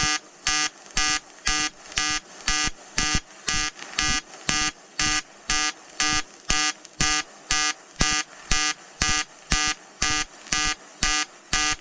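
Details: EWM Tetrix XQ 230 Puls AC/DC inverter TIG welding 5000-series aluminium corner joint: 2.4 mm lanthanated tungsten, 2 mm filler, pulsed AC. Even crisp buzz pulsing steadily about twice a second, no sputter or wander; healthy pulsed AC TIG arc.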